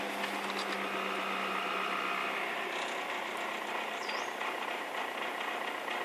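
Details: AE94 Toyota Corolla with converted 4AGE 20V Silvertop engine, about 270,000 km on the mount: light, fairly steady clicking at idle, three to four a second, constant after conversion and idle fix; cause not yet found, driving unaffected.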